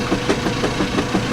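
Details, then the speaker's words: Vintage direct-drive washing machine with mechanical timer, washing 10 towels: dull knocks repeat about six times a second over the agitator drive; an occasional, unexplained knock in the drive, cause unknown. "does that every once in a while I don't know what it is we'll just pretend we didn't hear that yeah it's actually been a long time since it's made that sound"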